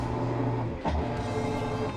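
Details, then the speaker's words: Whirlpool WTW4800XQ4 top-load washer, in for banging from a tilted drum and a broken suspension shock, in a diagnostic test: the shifter moves from spin to agitation, giving an even rhythmic high-agitation churn, briefly dipping as the drum reverses, no cabinet banging. "now you're gonna be able to hear now the shift is changing his position from agitation to from spin to agitation now you hear the high agitation"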